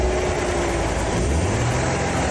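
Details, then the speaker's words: £2000 daily driver thought to have a knocking engine and damaged crankshaft: rough, uneven idle with a low rattling chatter underneath; not a true knock, a misfire shaking the gearbox into chatter. "I started it up and it's just got a misfire and it's not actually knocking. And because it's got a misfire, the gearbox is chattering a little bit, which is why it sounds like it's knocking, but it's actually not."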